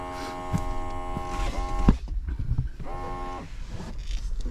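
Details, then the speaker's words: Mercedes G63 W463 seat bolster air pump (OEM 000 800 25 48): short bursts of steady electric buzz starting and stopping cleanly as the seat switch is flipped; pump working normally. "let's say we flip one of these switches forward and you can hear that the pump kicked on so if yours doesn't do that then obviously your pump is not working"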